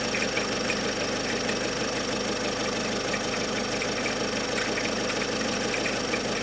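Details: Great Wall Hover H5 diesel at idle: steady clatter with faint, irregular sharper knocks that come and go, about two per second. Per the owner the knock does not depend on engine rpm. Cause is unclear.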